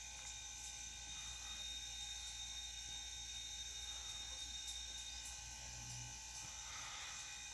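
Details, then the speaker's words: Low-noise air compressor used for a phone screen laminating and bubble-removal machine, near its cut-off pressure. A steady low hum with a faint even hiss and no knocks: normal quiet running. "tá próximo de desarmar E aí vocês vão notar eu barulho que tá fazendo hein"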